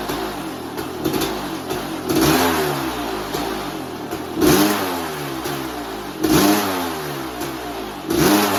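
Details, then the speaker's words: 1988 Kawasaki KX500 two-stroke, started after four or five kicks, choke not staying up: crisp idle with sharp throttle blips, revs rising and falling cleanly; engine running healthy. "sounds good she'll absolutely flipping rip your arms out of the sockets when you open that throttle especially if you change the gearing back down to what it should be"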